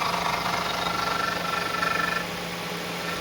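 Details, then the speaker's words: Gemini vehicle idling: fluttering mid-pitched whine pulsing about four times a second then fading; suspected alternator noise that comes and goes, not continuous. "Friends, gemini ಗಾಡಿ ಒಂದು alternator noise ಬರ್ತಾ ಇದೆ."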